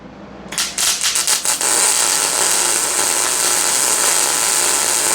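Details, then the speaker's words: Inexpensive portable Amazon MIG welder, light-duty MIG with argon shielding gas, first test: a few sputtering starts, then a steady, even frying crackle holding without breaks; normal stable arc, better than expected. "Dang. Okay. Yeah. That's actually way better than I anticipated."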